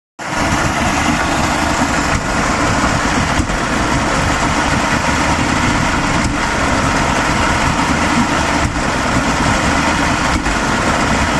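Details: 1987 Mercury 70 hp two-stroke outboard with VRO idles with occasional skips and is smoky. It still misfires after a new stator, power pack, trigger, coils, plugs and filter, plus rebuilt and synchronised carbs and fuel pump. The top two plugs are oily; the bottom one is black and dry.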